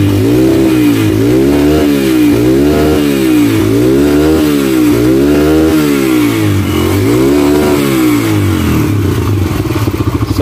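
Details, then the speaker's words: Yamaha XTZ 125 fitted with replacement STX 125 carburetor, after adjusting the overflowing carb's float and removing the check-engine wire: revs blipped about once a second rise and fall cleanly, no stumble or popping; normal running, misfire gone. "okay na mga bayai. So wala na siyang palyado."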